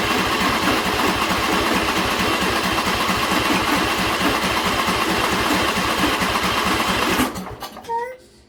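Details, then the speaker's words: John Deere L120 mower with the old carburetor, choke on: about seven seconds of steady, fast cranking with no catch. Hard starting from a long crank; it fires only with a splash of gas in the intake, pointing to a carburetor issue. "So that's with the choke on. I can put my hand over it and everything. Still doesn't want to start."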